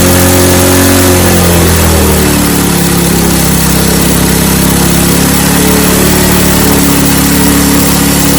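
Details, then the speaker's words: Snowblower small engine after carburetor cleaning and fuel line reconnection, primed and at mid-choke. It catches and settles into a loud, steady run within seconds, pitch holding even. Fuel delivery restored, starts and runs normally. "So there we have it. A little bit of troubleshooting on the fuel line, and then got this thing back up and running."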